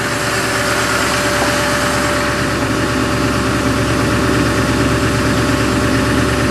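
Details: Duramax diesel cold start at about 27–28°F with snow on the ground, started without waiting on glow plugs, then high idle: even diesel clatter at a raised, steady cold-start idle, no misses or stumbles; healthy.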